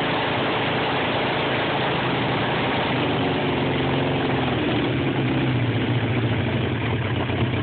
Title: Rough idle